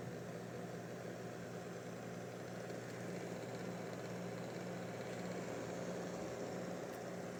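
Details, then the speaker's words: Acer Nitro 5 laptop before fan replacement, overheating with performance drops: failed cooling fans give a steady rough whooshing rasp with a low buzzing hum under load; worn cooling fans rasping, to be replaced. "gelen hırıltılı sesi duymuşsunuzdur diye tahmin ediyorum Dostlar bu durum gerçekten kullanıcı için ciddi bir sorun"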